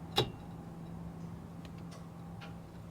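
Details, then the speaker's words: 1962 Cadillac Sedan DeVille, 390 cubic inch, parked over 30 years, key on: a single sharp horn relay click over low hum with no horn tone; relay works, horn silent. "horns must uh I can hear the relay"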